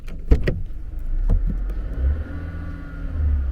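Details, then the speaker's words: Vauxhall Insignia 1.4 turbo, warmed up, with new Pipercross air filter after turbo V-clamp leak fix: low, steady, even idle with no knocks or misses; owner thinks it sounds better at idle now; normal idle. "It sounds like it's canned. I know it's a big stretch. Yeah, this is not a V8, but it sounds so good."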